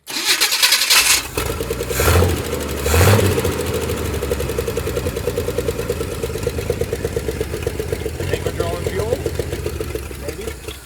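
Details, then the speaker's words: Abandoned 1968 Chevrolet Impala four-door, first start attempt with fuel poured into the carburetor: rapid, even cranking with a few brief surges that die away, never running on its own; cranks but won't start, carburetor suspected as bad. "This carburetor might just be that bad. Is it running? No."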